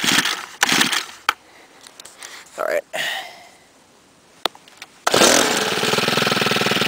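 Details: 2011 STIHL FS90R four-stroke trimmer, 28 cc, primed after failing to start first pull: after a few pulls catches and runs steady with even buzzing beat, no misfire or surging; normal running.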